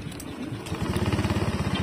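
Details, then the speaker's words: Honda Beat FI scooter, about 5 years old, after a major service with valve adjustment and cleaned throttle body: even, quick low putter with no tapping or rattle; idle smooth again versus rough before. "nah Ini suaranya Udah halus lagi kemarin agak kasar karena emang klepnya udah lama enggak disetel"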